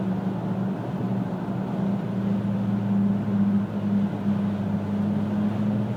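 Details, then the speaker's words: 2000 Pontiac Grand Am GT, steady low hum swelling with speed, starting about 35–40 mph, vibration sometimes felt underfoot; persists after hub bearings replaced twice, driver-side CV joint, pads, rotors, calipers and tire rotation; source unknown. "it's a vibration I can feel it sometimes under my feet sometimes I can't uh I don't know know i' have both the hub bearings replac twice you know the noise just won't go away and it really starts to show itself about 35 40 m an hour"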